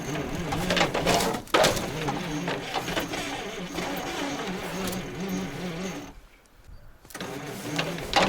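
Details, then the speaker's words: ZIL crane truck petrol engine after 20 years standing, snowy weather: weak starter churning about two turns a second, brief firing catches that die away; fires but won't keep running. "Но плохо крутит у нас. Плохо крутит стартер. Как ни крути, блин. Сейчас я попробую помочь стартеру. Он реально схватывает."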